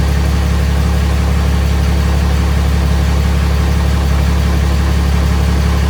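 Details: Freshly swapped 6.7 Cummins diesel in 2nd-gen Mega Cab, first fire after two cranking tries, indoors: steady deep clatter at idle, even beat, no misses or knocks; running really smooth.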